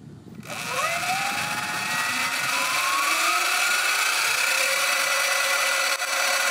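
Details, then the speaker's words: Sur-Ron electric bike, stock belt primary drive, sound test for comparison with a chain primary conversion: smooth whine rising evenly with motor speed then steady, no clatter or slap; normal belt primary drive. "this is a sound test for the belt drive"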